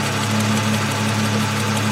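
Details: 2002 Ford Mustang 3.8 V6, high mileage, cold start before an oil change and engine flush: steady idle with a light quick tick that fades after about 30 seconds; owner suspects an exhaust manifold leak, possibly valves.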